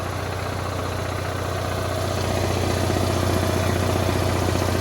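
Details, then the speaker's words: Onan Marquis 5500 RV generator after reinstalling the popped crankcase plug to stop oil burning and smoke: steady low drone firming under full load of both rooftop ACs, even beat, no misses; no smoke now. "All back together, running. I got both rooftop ACs running right now. So it's on full demand."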